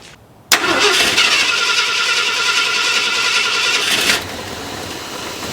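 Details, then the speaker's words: Points-ignition engine cold start, about 7 am at 71°: long cranking grind catching into a ragged, hesitant idle; points dwell set too low; warm it idles fine at 570–590 rpm. "all right so let's go ahead and fire up the engine so you guys can see uh the struggle it has trying to fire when it's cold and it's uh about 7:00 in the morning and it's about 71°"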